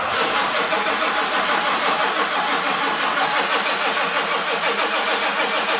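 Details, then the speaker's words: 1946 Ford truck with a turbo diesel at about 49°F, glow plugs cycled manually before cranking. Turbo wheel spins slightly; steady even cranking at about three compression beats a second, never firing: cranks but won't start, cause unconfirmed. "You see a turbo wheel spinning a little bit. We got nothing."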